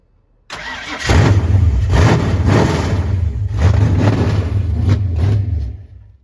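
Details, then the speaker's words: Fox-body Mustang V8 on its first start after the build, with temporary coil wiring: it catches and runs rough, surging and sagging for about five seconds, then dies. It is bogging. "Turning up the timing. Sounds like it was just bogging out and shit."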